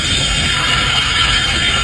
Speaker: las pastillas de freno cuando ya están en su límite de que hay que cambiar empiezan a chillar mucho.